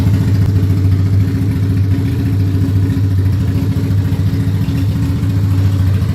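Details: Ducati Monster 695 café racer on its first start after custom rewiring, new ignition coils, HT leads and handlebar switches: loud, deep, even V-twin beat holding steady with no knocks or misses; idling and running cleanly.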